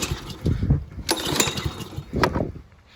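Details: Little Wonder walk-behind leaf blower, 5 hp Honda GC160: a few uneven firing bursts fading within seconds; it catches but dies because the throttle was off.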